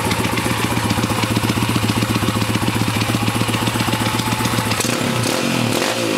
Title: PitsterPro x2 making weird noise